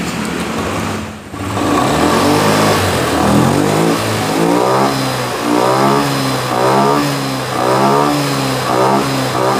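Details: Honda Scoopy FI (around 2022, K0J engine); starts, then revs cleanly up and down in smooth repeated blips with no hesitation or sputter; running healthy.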